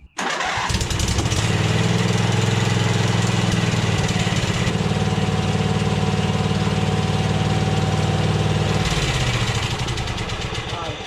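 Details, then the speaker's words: Donor V-twin for a John Deere Z425 engine swap, on test run after carburetor work with the idle backed off: catches quickly into a smooth, steady low idle with no misfires. Normal idle, though the owner thinks it may be slightly lean. "Seems to run pretty good. I backed off the idle there and that seemed to be good."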